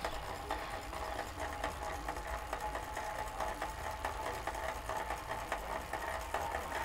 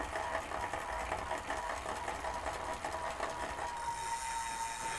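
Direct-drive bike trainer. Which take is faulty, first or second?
first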